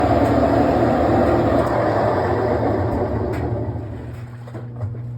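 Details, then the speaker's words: GE washer on its final spin, loud jet-turbine-like high screech over a churning drum rumble that fades as the spin winds down; owner believes the tub bearings are failing; screeching during spin. "holy moly that is loud it sounds like a jet turbine it's on his final spin by the way I believe the tub bearings are going out"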